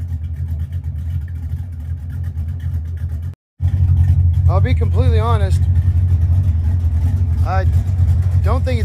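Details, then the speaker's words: 1982 Ford Mustang GT V8 after fitting straight-through mufflers, no tailpipes yet: deep steady burble climbs cleanly on revs and settles back, no ticking or puffing; sounds little different, possible unsealed joint suspected. "Um, it doesn't sound a whole lot different."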